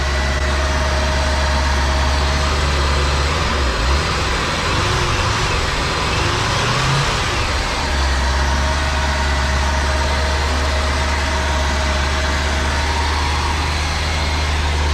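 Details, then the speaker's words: 1985 Chevrolet Corvette, claimed 24,000 miles, sat 20 years, new alternator just fitted: deep steady idle, then revs swell and falter when throttle blipped before settling; stumble on throttle, owner suspects bad mass airflow sensor, plugs and wires unchecked. "Still kind of cuts out there when you try to give it throttle."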